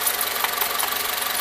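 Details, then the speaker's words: 2002 Honda Civic LX coupe, D17A1 engine, recorded outside: quick, even knocking between 2,000 and 3,000 rpm under load or light revs, silent at idle. It has fresh oil and air filter, loses no oil, likely not an exhaust leak; cause unknown. "if you can hear that that I'm knocking does not sound good it's got fresh oil I'm gonna fresh air filter keeps though it's not losing any oil it runs fine at idle you can't hear anything but I'm just not sure what causes the sound"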